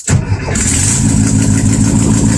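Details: 1972 VW Super Beetle with a starting problem, after fitting an autostick starter, a hard start relay and cleaning the ignition switch plug: short starter whir, then it catches at once and settles into a steady, even idle with no clunk.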